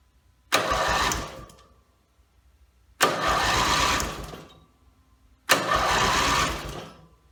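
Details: Briggs & Stratton mower after rebuild, timing dots and valves checked, carb rebuilt, gas later leaking from muffler, compression unknown: three short pulls each dying without firing; cranks but won't start, owner suspects it isn't getting gas.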